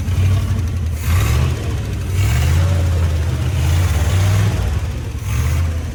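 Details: 1955 Chevy with a 283 small-block V8 that sat 37 years, running after new cap, rotor and points, with the carburetor not yet rebuilt and the fuel pump possibly bad. Deep, full rumble swells smoothly with each throttle blip; fires evenly, no miss or knock.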